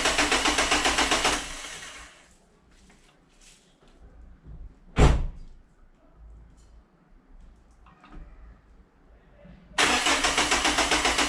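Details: Renault Megane 2 1.5 dCi diesel with power loss and loud noise (turbo suspected, boost hose failed), first start after oil change to fill oil filter, low fuel: cranks and fires, settling into steady clattering idle about 220 beats a minute; healthy start.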